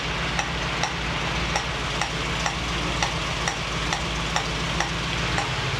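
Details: 1965 Mustang GT Convertible running after installing a Tuff Stuff 7068K 140 A alternator, fan on: a new steady hiss over a low engine hum with faint irregular ticks, seemingly from the carburetor; cause not identified.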